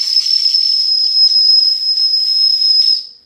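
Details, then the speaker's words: D5 steam engine with boiler pressure up, whistle cleared of water after first blow: clean, strong high whistle held steady about three seconds then fading; normal steam whistle. "It's loud now. Yep."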